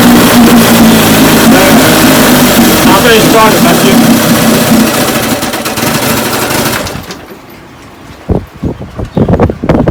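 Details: 1958 Evinrude 18 hp two-stroke outboard after rebuild (magneto, single-line fuel pump conversion, carburetor kit, impeller, gear oil): loud, steady buzz holds even for several seconds before dropping away; runs cleanly.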